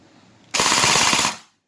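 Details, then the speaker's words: Perun AB++ airsoft gearbox with rate-of-fire reduction set to 3: brief burst of rapid, even clacking at a noticeably slower firing rate; gearbox cycling cleanly on the reduced setting. "Significantly slower."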